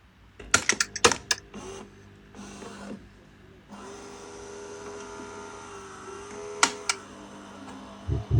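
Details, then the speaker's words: Gaggia/Saeco Nespresso SUP022 coffee machine after LCD display repair: button clicks, then a steady low pump hum through a large-cup pod brew, the first brew coming through; machine brews normally, though it still needs descaling. "can hear the machine doing its thing. And there's a brew coming through, the first one."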